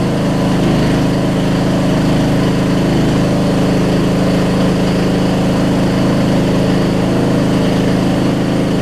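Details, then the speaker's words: Roughly 20-year-old Murray riding mower after new gas tank install, first start on jump box: steady, even low drone with no misses or knocks; runs smooth and healthy. "waiting on a gas tank and about an hour's worth of work. We got a running mower that I've been sitting on for about 2 months."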